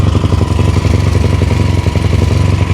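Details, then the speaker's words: Yamaha YFZ450 with 480cc big bore kit, freshly rebuilt after a blown head gasket, 65 pilot and 175 main jet, during heat cycles: quick even single-cylinder thumping at raised idle with small quarter-throttle blips; fires cleanly, healthy. "I've been revving the shit out of this thing. All right, not revving the shit out of it, just, you know, like little quarter, you know, little blips."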